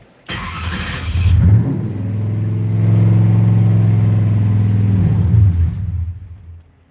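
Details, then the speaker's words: V8 (4.6) on a Terminator X V2 ECU catches, surges up, hangs briefly, then sags rather than settling; idle won't hold because the throttle plate is closed too far. "Okay, so basically the throttle plate's too closed, so we're gonna take it up a lot."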